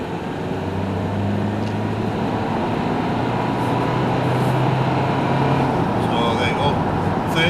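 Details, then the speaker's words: Dacia Duster Prestige dCi 110 4x4 diesel accelerating in 4th gear toward 60 mph on road test: low drone climbing slowly with a coarse diesel rattle despite soundproofing; typical diesel clatter, not a fault. "Could you hear the engine though? How coarse it was. It still sound, even though it's got, this has better soundproofing I believe than the Logan diesel, but you can still hear the coarse diesel engine rattling away there."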